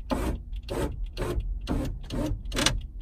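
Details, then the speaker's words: Ferrari 308 (80s) passenger-side electric window motor, lubricated, still labored: motor whirs in surges about twice a second while the glass creeps slowly; window binding, possibly skewed glass needing adjustment, more grease planned. "right as you can hear it's binding so I am going to literally grease her up again make sure I've got it really lube"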